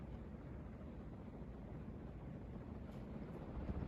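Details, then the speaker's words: 42-inch Westinghouse Casanova Supreme ceiling fan on high speed. Steady, soft rush of air strong enough to move papers, with no ticking, wobble or hum; runs quiet and healthy. "another thing I want to mention about this fan is that it's really quiet the airflow on this fan is actually really good too"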